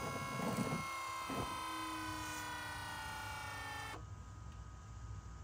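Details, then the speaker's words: BMW E60 M5/E63 M6 SMG hydraulic pump during INPA bleeding after topping off with CHF-11S fluid: steady even electric whir with clean high tone for four seconds, then cuts off; healthy. "So you can hear the SMG pump just making noises as it's working."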